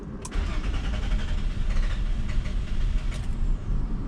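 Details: 2001 Nissan Maxima 3.0L V6 (VQ30DE) after sitting a few minutes: long labored cranking around 425 rpm despite good fuel pressure, barely catches and stumbles with throttle held; extended crank blamed on leaking fuel pressure regulator.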